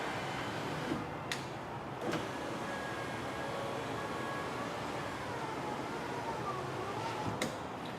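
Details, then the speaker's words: 2004–2008 Ford F-150: power window regulator motor just replaced, tested with door switch; quiet smooth motor hum runs steadily between switch clicks, no grinding or binding, window stays up. Normal window motor operation. "we're gonna want to test the window before we move on the fact that it didn't fall down and shatter into a million pieces and scare all the children in the land that's a good sign"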